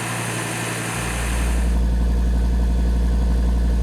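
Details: 2013 Audi TT RS during the roughly 45-second cold-start warm-up, after reinstalling the intake manifold flaps and port separators: the start flares and settles into a fast, even idle with no stumbles; the earlier cold-start misfires are resolved.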